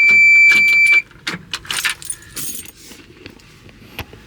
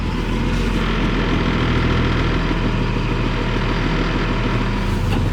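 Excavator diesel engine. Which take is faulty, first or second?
first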